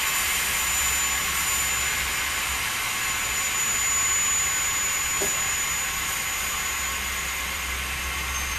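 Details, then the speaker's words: Truck air brake test, tractor shut off at maximum pressure, service line disconnected, firm hard brake application held: loud even hiss of normal service line venting; tractor protection valve closed at 50 PSI (minimum 20), working properly. "The air is now leaking from the service line. It will leak until the protection valve closes. Must close no less than 20 PSI."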